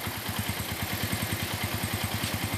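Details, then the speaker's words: Shogun Robot motorcycle after a major service, with parts found dirty on teardown, cleaned and refitted: starts right away into an even, steady putter of about eleven pulses a second with no misses or rattles, and the light no longer flickers. Normal smooth idle. "bisanya ya hidup langsung enak ya langsung udah enak tuh lampunya nggak kedip-kedip langsung udah enak"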